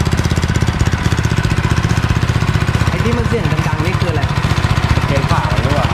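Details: Honda Chaly minibike, first start in two years after rebuild and throttle cable fitted, run from spare petrol tank: steady fast idle, even low thump, no knocking or rattling; running fine.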